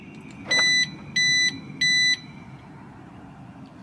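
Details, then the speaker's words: 2006 Mercedes-Benz W211 E350 4matic, alarm set off with a replacement siren that has the same connector: three short, shrill, even beeps about half a second apart. It is a piezo buzzer, the wrong replacement part. "that is a completely wrong part set off the alarm I'm curious what that sounds like woud it is much louder what the hell is that it's a peo electric buzzer that's just"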